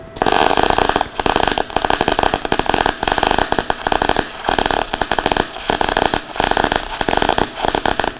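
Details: Everlast Cyclone 200E dual-voltage MIG welder with .023 wire, wire feed maxed at 480 in/min and 20.5 volts: crackling arc breaking up with short gaps; wire speed too low for that voltage and wire diameter.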